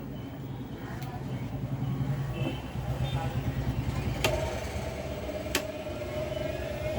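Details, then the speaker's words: Mixer grinder running after its jar coupler was replaced and pressed into place; steady low motor hum with a faint whine, no knocking or scraping. Normal running. "हे बघा, एकदम व्यवस्थित चालू झालेलं आहे."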